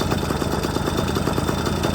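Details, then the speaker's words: 1997 Yamaha PW50 two-stroke shaft-drive, after restart: slow, loose popping idle at about eleven pulses a second, blamed on an over-oily mixture and throttle stop set a little low. Low idle speed. "that over oily mixture is not going to ignite extremely well throttle's a little low"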